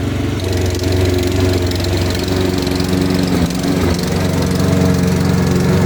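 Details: Ariens/Husqvarna riding lawnmower single-cylinder engine after a new carburetor, intake manifold, head gasket, flywheel, battery and ignition, driving off; steady, even drone with no knock or miss, running healthy.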